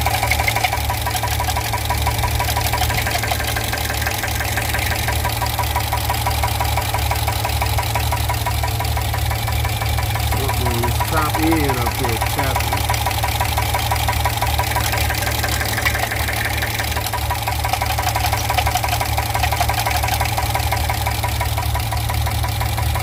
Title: 2015 Gmc Yukon 6.2 engine knock